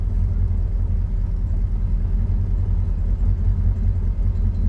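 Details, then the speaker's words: Cold start after sitting overnight on choke, fuel in float bowl; steady, even low rumble at cold idle with no knocks or misses, running sweetly; oil pressure light dim then flickering, oil level found down at minimum; normal cold-start idle. "There should be fuel in the float bowl, so she should start up. How sweet does that sound?"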